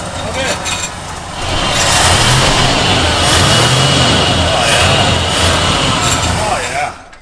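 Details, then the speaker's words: Ford Ranchero parked long-term, ignition timing off by one corrected by moving the plug wires one position: engine catches and runs strong with a steady even beat swelling with revs, no misses or knocks, oil light goes off; normal running. "She sounds good. Real healthy. Oh yeah. Oil light turns off."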